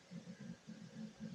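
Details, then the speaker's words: Newly built desktop PC, test boot: quiet low hum with soft pulsing whir as the fans spin and the hard drive loads Windows, no BIOS beeps; normal boot, though top fans are not working. "sounds like it's loading windows out of this hard drive no bios beeps I think we have success here minus the fans"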